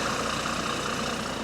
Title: Exhaust Leak | GAL WVN49 On Bus Route 89 (Spot + 13)